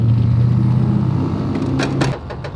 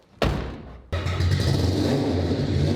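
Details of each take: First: AWD four-rotor engine idling after a fault, oil pressure only 20 psi: low steady hum with a faint gear-like whine, then engine note drops away; owner suspects failed oil pump internal gears, unconfirmed. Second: AWD 4-rotor rotary car on the road after earlier breakdown repair, accelerating: deep smooth rotary drone climbing and dropping with throttle, no misfire, rattle or knock; pressure and temperature good, running normally under load.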